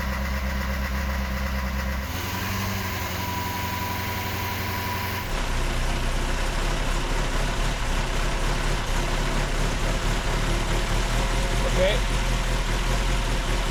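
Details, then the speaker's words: 1972 Saab Sonett III idling after its clutch and pressure plate were upgraded and engine and transmission reassembled: engine steps up to a firmer, steady idle with an even low rumble, no knocks or grinding; normal. "now it's time to start it up bed the in system make any tweaks we need and see if it goes into gear"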